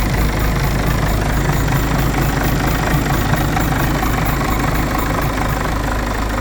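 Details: Citroën C5 2.0 HDi 180 diesel at idle: deep, slightly uneven pulsing tap, about two per second, over the usual diesel clatter; abnormal engine noise, cause unknown.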